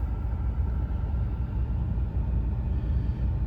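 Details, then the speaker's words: 2010 Ford F-150, 5.4 3V V8, over 230k miles, warm idle with AC on after cleaning a carbon-fouled throttle body to cure rough idle: deep, steady, even rumble, no stumbles. "Well, so far, so good. There it is in all its glory. The 543 valve chugging right along."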